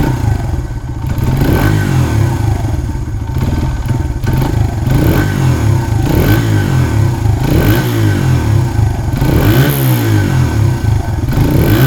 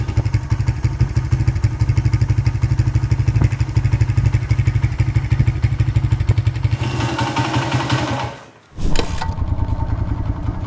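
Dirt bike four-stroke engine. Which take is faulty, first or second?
second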